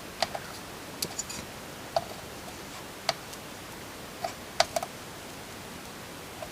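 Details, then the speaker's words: Sony TA-F242 amplifier circuit board being resoldered after corrosion cleanup: sparse, irregular small pops and crackles at the joint, possibly leftover methylated spirit from cleaning on a cool night, or a sign of muck under the joint. "see that if you hear that sort of popping crackling sound that can be a sign sometimes that's just because i've recently cleaned the board might have just been a bit of methyl or something in there but that can be a sign that some mucks got down in there"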